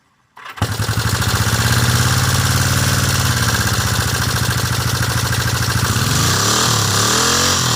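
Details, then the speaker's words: 1974 Honda CB360T, mostly original, after tune-up, new points and condenser, rebuilt carbs: fires at once to a lumpy idle with busy top-end clatter; missing shim at the center cam crushed the cam and damaged valve cover and head. "It's a little noisy in the top end. I have some issues. Someone put the valve cover on before I owned the bike. Didn't put a shim in the center cam and crushed the center part of the cam"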